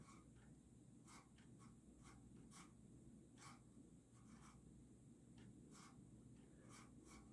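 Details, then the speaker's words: Early-to-mid-1990s Casablanca San Marino Inteli-Touch 52-inch ceiling fan on speed five, motor hum with irregular dry scratching and ticking from worn motor bearings, worse after sitting unused for days. "it's like occasionally it'll run really silent for a while but then like if you haven't run it in a few days it'll start making bearing noise again it's very temperamental"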